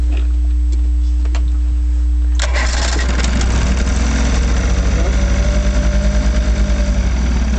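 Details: Vintage 1956 Johnson Javelin 30HP RJE-18 electric-start outboard on a 1965 Viking 14T fiberglass runabout, carb adjustment leaned to about a quarter turn open. Starter cranks briefly, then it catches and settles into an even, throbbing idle; starts and runs healthy.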